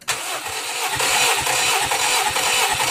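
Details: EM21 engine during restoration, compression test while cranking with clutch held down: even starter cranking about two beats per second, each stroke alike; readings 200, 210, 215, 210, all within spec, healthy balanced compression.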